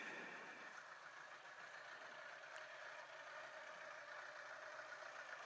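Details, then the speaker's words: 1980 Honda Goldwing four-cylinder, sat for years, first start after carb rebuild, mic on owner's head: soft, even, steady idle with no knocks or misses on choke; some smoke burning off, owner thinks it may be slightly lean; running fine. "may take a little while to burn that out but uh she's idling pretty good now it might be a little lean too I still have the choke on"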